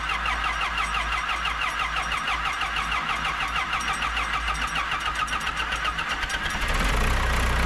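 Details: Kobelco SK120LC Mark V excavator diesel, about 7,000 hours, after refitting the thermostat housing gasket: starter churns evenly for about six seconds, then it catches and settles into a steady, even idle; normal start and idle.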